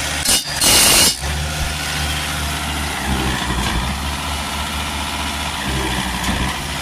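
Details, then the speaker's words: Volvo XC90 2.4 D5 diesel idling, no clunk as gears are engaged after tightening loose engine mount bolts; the clunk going out of gear, present for two years, is gone. "the clunking noise is gone. Well, it looks like these bolts here were just a little bit loose."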